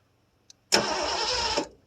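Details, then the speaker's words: 1973 Ford Gran Torino Sport, 351 Cleveland, off the road about 30 years, new starter fitted: about one second of even cranking with no firing at all. No spark while cranking; the ignition points were gummy and corroded and were filed clean. "But, it ain't got nothing when you're cranking it."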